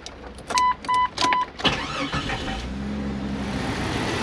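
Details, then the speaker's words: Stock Jeep Cherokee XJ at 150,000 miles with some oil leakage: door chimes, then a quick crank catches into a smooth, steady idle with no knocks or misses, so the engine runs like a top. "to be running like a top no problem got a little bit of oil leakage here and there but that's pretty much par for the forest or something 150,000 miles this thing drives"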